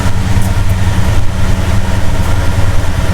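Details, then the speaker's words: 1969 Plymouth Road Runner 440 V8, first run after 20+ years sitting, warming up with temperature rising: deep, steady, lumpy idle with no knocks or misses; normal idle. "Oh, hell yeah. She sounds awesome. This thing's going to freaking rip."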